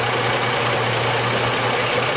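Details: 2006 Jeep Liberty whose transmission was removed three times and torque converter changed chasing a whine: an even idle hum with no whine on top, after a fix on the transmission cooler line; a cooler restriction is suspected. Transmission sounds normal.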